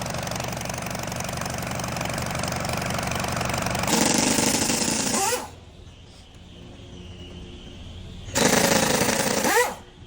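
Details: Cummins 4-cylinder diesel engine; harsh hammering rattle rides over the run, coming and going in loud bursts: abnormal engine knock, cause unknown.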